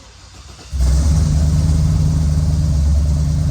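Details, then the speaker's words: Dad's Jeep V8 with a bigger cam and custom tune: fires up and settles into a lumpy idle, an uneven thump about four times a second, with one cylinder dead because a spark plug wire had come undone. "Oh, That ain't running good. That wasn't crazy. Ran parking here like like a bounce buggy."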